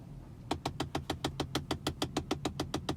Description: Tesla Model S Ticking Noise behind glove box